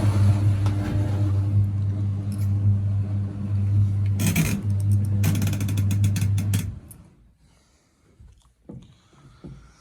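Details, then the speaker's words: Zanussi TD200 auto-reverse tumble dryer, exhaust fan motor powered: steady low buzzing hum for about seven seconds with no spin-up, then cuts out; motor gets power but is stalled, something possibly stopping it. "Okay, turn it on. Yeah, so it's trying to work. It's trying to go right now."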